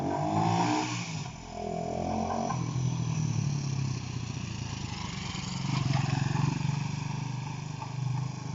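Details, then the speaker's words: Honda CB125 RS after finding and fixing touching wires that caused running problems: single-cylinder exhaust note rises and falls as the bike rides up and down the street, firing evenly with no misses; running cleanly. "she's going well so she's doing it she's flying going david"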